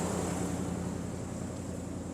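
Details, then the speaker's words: Hemi V8 after a cam swap idles smoothly and evenly with a deep regular beat and no misses, now fixed. Before the fix it ran rough and threw codes. "Um, but let's see if it works. Hit it. Yep, we fixed it."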